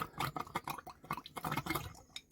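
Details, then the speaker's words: Caravan after winter storage, water tank filling: irregular wet gurgles and spluttering pops, several a second, as trapped air is pushed out of the pipes; air in water pipes. "come on come on girl burp through there we go we're getting some starting to get all the air out now that's finally starting to push it through them pipes"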